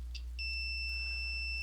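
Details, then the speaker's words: Multimeter in continuity mode, leads touched together: clean steady high beep about a second and a half, reading down to 0 ohms; continuity confirmed, circuit closed. "now it beeps, and if I hold it long enough, you'll see that it goes down to 0 ohms."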